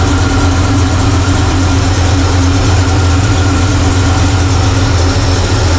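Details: 1985 Chevy C10 with Blueprint 350 V8 at idle, won't go above about 500 RPM, vacuum gauge reading low before timing and air-fuel screw adjustment: deep, steady rumble with no misses; vacuum leak suspected.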